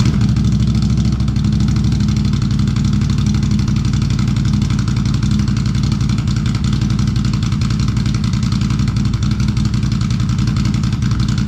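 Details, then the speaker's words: 2022 Can-Am Renegade 1000 XMR V-twin ATV idling steadily with both cylinders firing again after a wiring repair fixed an intermittent misfire that cut it to one cylinder. "Hey, you know what? It works. It's running on both cylinders again."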